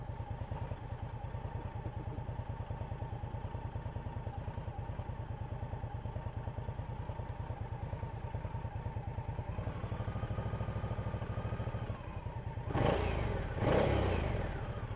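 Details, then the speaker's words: Indian Scout motorcycle at steady idle: low thumping with a light tinny clatter riding on it, the exhaust clamps and bolts being checked. Rattle. "There's like a little rattling noise."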